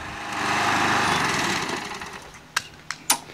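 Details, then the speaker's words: Craftsman 20" mulcher push mower single-cylinder engine, running for a while after the hydrolock oil smoke burned off; it needs priming at every start. Smooth even buzz fading out, then a few sharp clicks; healthy running. "so far so good gotta prime it every time you start it though"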